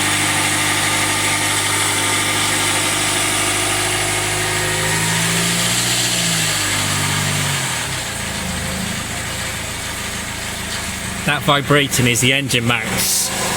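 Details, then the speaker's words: Jaguar F-Pace 204DTD diesel first start after owner's rebuild, no oil pressure reading: uneven, shaky labouring idle settling lower; runs rough, cause not yet found. "pretty rough and hopefully that's not a bit better when I start it up again"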